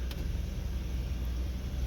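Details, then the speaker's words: 2011 Ford F-150 after replacing the AC heater blend door actuator, set to full cold; steady low engine and blower rumble with the old clicking gone. "so now we got the AC blended to the point where it wasn't clicking before when it was mixed"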